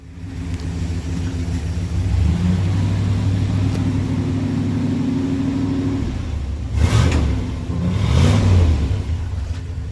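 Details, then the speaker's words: 1966 Dodge W200 4x4 camper with a freshly installed 1965 318 poly V8, heard at the exhaust: deep, even rumble at idle with two smooth throttle blips. It blew debris out of the muffler; normal running. "you know not that bad blew a whole bunch of crap out of that exhaust probably stuck in the muffler"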